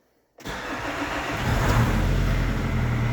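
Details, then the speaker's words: Nissan X-Trail 2.2 D with P0340 no-start, after fitting a 1 kΩ resistor parallel to the crankshaft position sensor: starter catches, diesel fires immediately and settles into even idle; starts and runs normally. "запустився проблема в блокові керування двигуном там"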